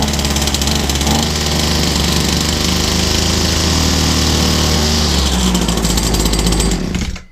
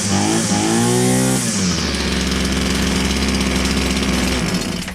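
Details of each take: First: Old Husqvarna 22R two-stroke strimmer, scrap find, started on fuel sprayed into the carburettor: buzzy engine runs hard about seven seconds then dies, running on the fuel put into the carburettor. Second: Old Husqvarna 22R strimmer from a scrap find, after a carburetor conversion, firing straight up: a high buzzing rev drops back to a steady, even two-stroke run with no stumbling. It is running cleanly.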